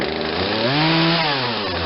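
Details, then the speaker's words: Poulan Wild Thing 40cc two-stroke chainsaw with an 18-inch bar, fitted with a replacement aftermarket carburetor during tuning, low-speed screw set midway. Revs sag and bog briefly before pulling up; still hesitating on acceleration. "Somewhere in the middle on the low speed. Still has hesitation on the acceleration."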